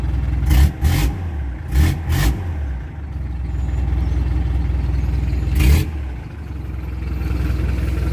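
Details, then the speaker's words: Hyundai diesel after replacing the starter solenoid switch for hard starting (armature and carbon brushes were fine): it starts and revs cleanly in quick blips, then settles to a steady, even idle with no knock. Fixed. "Subukan natin kung daga na ba yung ating trabaho let's try Okay gumana Ong trabaho natin guys nice move dito talaga"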